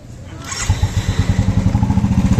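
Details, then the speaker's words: 2017 Royal Enfield 350 single cylinder at idle with a light tick-tick noise coming from inside the clutch cover; clutch cover to be opened to fix it. "इसके अंदर cut cut cut cut sound ए रहा है"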